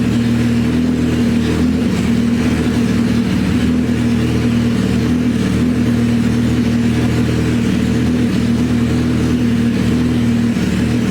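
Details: Suzuki Hayabusa GSX1300R after a wreck, two new main injectors fitted, no exhaust fitted; loud raw even open-pipe drone holding steady, firing on all cylinders; normal idle and revs.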